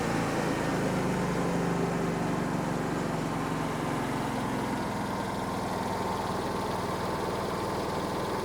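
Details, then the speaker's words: Hobart Champion Elite 225 welder engine idles low and only slowly picks up to high idle when an arc is struck, arc cutting out meanwhile; sticking idle solenoid, before solenoid replacement. "Yeah. So, that takes too long. That's not all right."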